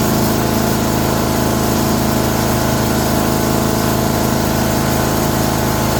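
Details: Older 5 hp Briggs & Stratton single on an abandoned chipper, revived with Deep Creep on the valves. Running at fast idle with the air cleaner refitted after a restart on a little choke: even, about four firings a second, no misses. Normal running.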